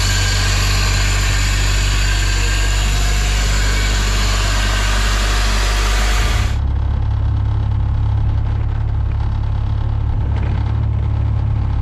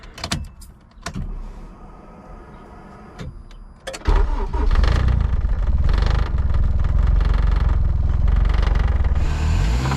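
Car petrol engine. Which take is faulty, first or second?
second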